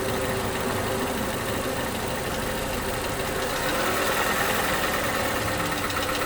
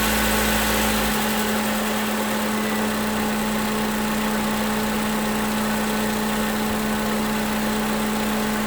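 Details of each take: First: 2011 Toyota Camry, 2AR-FE engine, after replacing lifters and rocker arms: light, fast ticking over the engine, busier as revs climb to about 1500 with AC off and lingering as throttle drops; sticking lifter suspected, engine tends to stall. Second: 2011 Toyota Camry 2AR-FE after lifter and rocker arm replacement, no leaks: revved to about 1600 rpm and released, returns to a smooth, even idle without stumbling; later coolant temperature reached 230 on scan tool.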